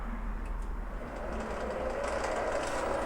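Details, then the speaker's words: Little Machine Shop 7350 7x16 mini lathe, brushless motor, cover off, lead screw engaged. A steady motor hum with a loud, busy gear whir on top, far noisier than the quiet spindle alone. Normal change-gear train noise. "can hear them gears now. Hear how much noise it makes now with the lead screw engaged. That's a whole lot of noise."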